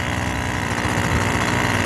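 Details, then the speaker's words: Yard-sale two-stroke trimmer warming up before revving: steady, even two-stroke buzz at idle with no hunting, misfire or surging. Normal warm-up idle. "If you can turn the choke to the off position, leave it run for 30 seconds or so to kind of warm up before you start revving it."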